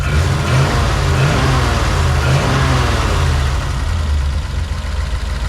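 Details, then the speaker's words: 1940 Mercury flathead V8 after fixing a no-spark condition likely traced to broken dual distributor points: smooth, even revving with a deep steady exhaust note, no misses, knocks or ticks. "but that sounds really good"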